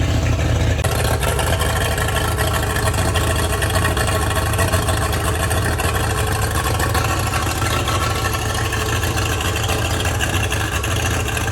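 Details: Boat engine hotwired and started on choke after fiddling with it, RPM gauge no longer dipping as it did before: a steady, deep drone with no dips or stumbles; normal running.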